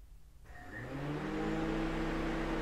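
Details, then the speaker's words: Honda Element radiator cooling fan commanded on through a Thinkscan 689BT scan tool actuator test: fan whir spins up from silence to a steady, even hum within a second, no rubbing or rattle; fan working normally. "I heard it click and then we're exit radiator fan it's your radiator fan coming on"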